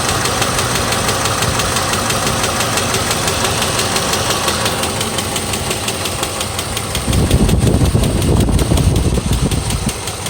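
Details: 2006 GMC Envoy XL Denali, 5.3L Vortec 5300 LH6 V8 with Displacement On Demand, only 68,400 miles, idling with a steady sharp knock about three times a second, louder when revved; a fatal rod knock after repeatedly losing oil pressure.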